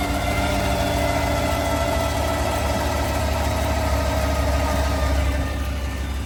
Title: 2020 GMC Sierra 1500 whining sound. Is it my transmission bearing? #gmcsierra #gmccanyon